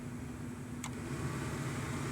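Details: 1998 Chevy Silverado (GMT400) just after replacing the AC blower motor resistor, second fan setting: a steady, even whoosh with a low hum and no rattle or squeal. Speed clearly increases from the first setting, so the blower works normally.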